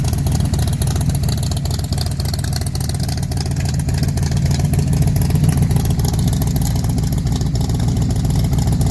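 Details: Factory Five MK4 V8 with newly installed GP headers and side pipes, revving: deep, even rumble with no ticking or puffing; previous exhaust leak is gone.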